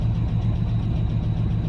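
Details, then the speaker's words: Dodge Ram V10 cold start at -37 after sitting two days, running regular 10W-30 with Lucas oil stabilizer, oil pressure not coming up: fast, even ticking over a rough cold idle; lifter tick from low oil pressure with oil too thick. "now oh i can hear some ticking going on so i'm running 10 30 just just regular 10w30 oil with lucas oil stabilizer"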